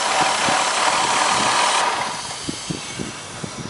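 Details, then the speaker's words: Engine still leaking vacuum despite a replaced intake manifold, injector rail, O-rings, lower gaskets and hoses. After shutdown a strong sucking hiss fades to faint ticks, like air being drawn in; the leak source is unconfirmed. "I also meant to show this you can hear the sucking noise way more prominent after the uh engine after she kills the engine"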